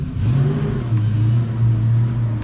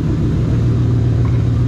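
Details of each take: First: Wife's Mustang GT V8 with a BBK off-road X-pipe, after an exhaust manifold leak from hitting a cinder block at 70 mph was fixed. Deep, smooth rumble rising and falling with the throttle, with no ticking or puffing; the exhaust sounds sealed. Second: Ford Mustang GT idling after running over a cinder block at 70 mph: a heavy, coarse, dump-truck-like rumble with no clean tone, with the check engine light on. The finding is an exhaust manifold leak.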